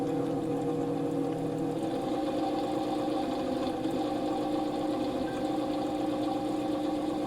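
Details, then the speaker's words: NOEVSBIG solder fume extractor fan, defective unit failing at the end of recording: steady buzzing hum with a very loud rough vibrating drone, fan practically stopping when it happens; caused by dry bearings. "you heard that very very loud vibrating noise before there it goes again and the fan practically stops when that happens"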